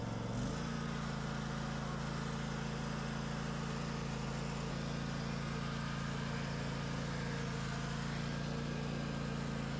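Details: Craftsman DLT 2000 riding mower with blown Kohler Pro 20 V-twin replaced by a Harbor Freight Predator 708cc engine, after rewiring; brief crank, catches at once, settles into a steady, even low hum. Normal start and idle.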